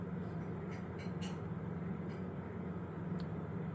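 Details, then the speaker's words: Top radiator fans on a Ryzen 7 5800X PC won't drop to a slower speed; steady low hum with constant airy whoosh, fans stuck at high speed, recorded about 30 cm away. "the top ones I can't get them to go down to a slower speed to make less noise so my biggest issue right now is when I close this down"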